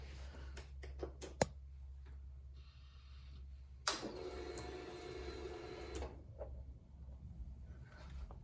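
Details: 2002 Harley-Davidson Road King Classic after cam chain tensioner replacement and fuel check-valve O-ring change: a few light clicks, then a soft electric whirr for about two seconds that stops by itself; fuel pump priming normally, no leaks.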